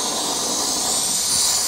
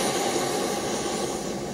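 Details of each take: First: LighTake windscreen gas stove about two minutes into a boil: steady high roaring hiss with swells, burner surging; user suspects too hot underneath, valve opened too much, or insufficient air mixture. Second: New stove on LighTake windscreen and cookset, valve opened slightly and lit with piezo igniter: smooth steady rushing roar with no sputter or pulsing, burner running clean and even.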